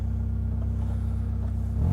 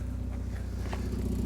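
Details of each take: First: Cheap Mazda MX-5 with 56,000 miles on a cold start with a weak battery. Low, even idle rumble with no idle bounce, lifting slightly at the end; no knocks, and the belts look okay. It runs sweetly; normal idle. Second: Mazda MX-5 with 56,000 miles idling after a cold start, listened to at the rear exhaust with a hand placed over the tailpipe. Steady low idle pulse with a faint puffing hiss on each beat; the exhaust is blowing, indicating a leak.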